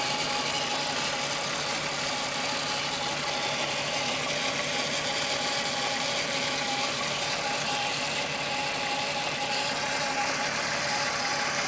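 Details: Rattle at idle on a Golf VR6 2.9 with 103,000 km: a hissy metallic rattle and scraping over a steady idle. Owner replaced the upper hydraulic tensioner screw for a chain-rubbing noise, and the noise grew louder. Chain suspected, source not confirmed.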